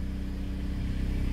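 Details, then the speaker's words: 2010 Dodge Avenger SXT driving after ignition coil and spark plug replacement fixed a misfiring cylinder that made it gallop and shake; even, steady low rumble with no galloping beat, all cylinders firing: smooth running. "yeah the ride's a lot more smooth I can hear the engine uh not Galloping it sounds like the way it did before so it sounds good huh"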